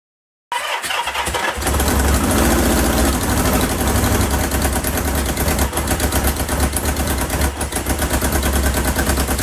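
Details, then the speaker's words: 1977 Kawasaki KZ650 B1 four-cylinder running without its airbox; its longest run so far. Ragged, lumpy, stumbling beat with no smooth idle, and it dies on throttle; it sounds like one cylinder isn't firing. "now as soon as you give it throttle it dies but that is the longest i've ever heard it it sounds terrible"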